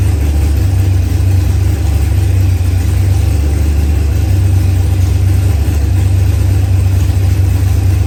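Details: ProCharged LS engine with 12-1 crank trigger wheel, new engine first running after trigger troubleshooting: steady, even low rumble with no misses or knocks, holding speed smoothly; healthy idle.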